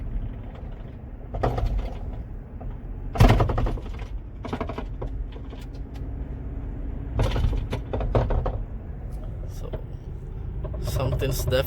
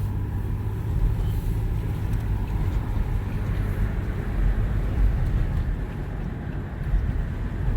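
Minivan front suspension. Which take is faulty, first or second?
first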